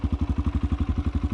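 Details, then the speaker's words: 2018 Kawasaki KLX140L pit bike, fully cold start with choke after carb was dialed in: even, steady single-cylinder thump about ten beats a second, no ticking or misses; normal healthy cold idle. "All right, guys, I haven't warmed it up today. It is purely cold. That's actually really cold. So let's go ahead and pull the choke up. We'll see if she starts up instantly."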